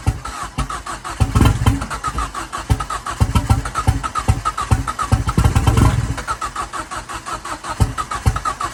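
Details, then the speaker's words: Ford Fiesta RS Turbo restoration, first start: steady cranking at about five beats a second with no firing; owner suspects fuel not pulling through after easy start evaporated. Cranks but no start. "okay so it is going to run maybe it doesn't have enough fuel in it now it's evaporated but I just don't believe it's pulled it through"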